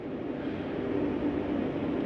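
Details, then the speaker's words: Jayco Eagle HT 27RS furnace switched on from thermostat heat mode, about 71 inside; steady, even blower rush without rattles or surges, normal. Heat fan takes longer to shut off than the AC. "when you shut this off, the heat fan takes a little bit longer to shut off than the AC does."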